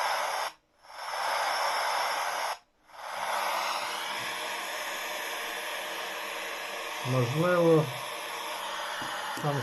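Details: Portable radio receiver with no antenna, switched on and tuned: constant hiss with short dropouts and no station received; owner suspects a broken wire inside, before opening.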